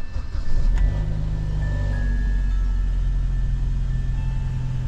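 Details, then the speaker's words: BMW E90 320i N46 right after crank sensor replacement (DTC P0335), fuel lines having been unplugged, so the fuel must re-prime: it catches promptly and holds a deep, even, steady idle. Runs cleanly. "Let's see if it starts after all of that. I wouldn't expect it to start immediately because we've had fuel lines unplugged, so the fuel needs to prime again."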